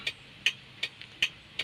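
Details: Kia Bongo turn signal flasher after rewiring the non-working right-side signal: crisp, even clicks about two and a half per second, steady; flasher and hazards now working normally.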